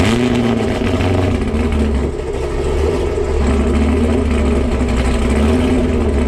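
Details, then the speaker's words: Krypton Camaro V8, cold start after long storage on a winter day. Deep burble at a raised cold idle with slight surge; the owner wants it tuned to surge less cold. Catches and runs cleanly, normal cold start. "she did start definitely a little cold should I idle down here in a second I would like to get that NATO tune in a little bit for so it doesn't surge so much on cold surface"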